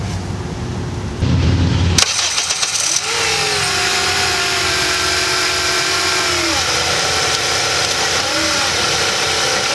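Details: Car after replacing a torque mount (lower rear of engine, three bolts) that had caused violent vibration: short crank, clean catch, a quick rev, then a steady even idle with no knocks or clunks.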